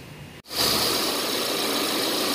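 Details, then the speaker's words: Engine of only 20,000 km, reportedly never given an oil change: steady thin high whine over the engine hiss, louder when rpm is raised; turbo shaft bearings worn, wheel scratching its housing. "the noise continusly come from Turbine This fan part This part makes noise, as you see"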